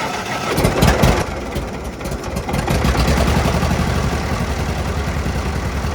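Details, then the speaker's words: 1940 Minneapolis-Moline RTU tractor after sitting too long, with fresh plugs and fluids: brief cranking, catches right away with the choke disconnected, then an even, steady idle about four pulses a second; normal start and idle. "Can't beat that. Started right away. Had didn't even engage the choke."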